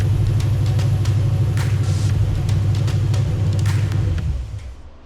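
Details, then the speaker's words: 1968 AMC Rambler American, rebuilt 401 V8 first fire-up after 10 years: deep rumble with uneven thump about three times a second; runs but needs tuning, timing suspected; water neck near 225 degrees before shutdown. "It's not doing too bad. We got a lot of tuning to do, but that's a good start. Man, it's good to hear that thing run."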